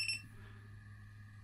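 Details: Specialized Turbo Kenevo/Levo e-MTB M1-504Wh battery pack after repair (switch cable contact built up with tape): one short high beep at switch-on, then a faint hum; power button responds normally.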